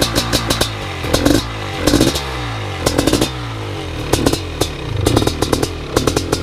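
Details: First startup of a BRC 500 engine kit in a 2015 Husqvarna TE 250 with SmartCarb 40mm billet carb, TPS and PowerCDI ignition. The single fires and answers about one throttle blip per second with crisp revs and no misses or knocking; runs fine.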